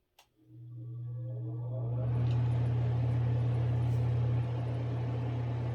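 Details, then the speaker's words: ILG Industries Model 83 8-inch panel mount exhaust fan, new old stock, 4-pole high-slip motor 1550 RPM, 115V 60Hz 0.72A, at full speed after replacing steel motor-shaft spacers with O-rings: steady smooth low hum, no drumming or rattle; normal running. "wow that made a huge improvement i don't hear any drumming it just sounds smooth and quiet"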